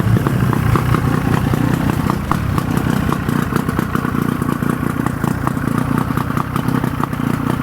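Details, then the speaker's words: Force 50hp outboard on Bayliner boat after service (lower unit oil, impeller, spark plugs, fuel filter, new starter, regreased bearings): starts right up, deep even burble, no knocks or misses; normal running. "I'm surprised check this out runs really nice"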